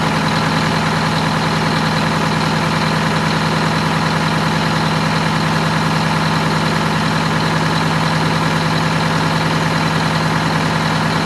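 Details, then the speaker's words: Wanderlodge bus Detroit Diesel 8V92TA after low-boost fix (new injectors, new turbo, good air filter, correct oil): steady even idle about 200 beats a minute, no knocks; idling much quieter and smoother than before. "it's idling a lot quieter too a lot quieter it's definitely smoother"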